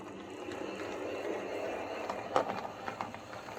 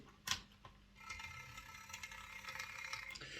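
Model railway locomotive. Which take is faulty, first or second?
second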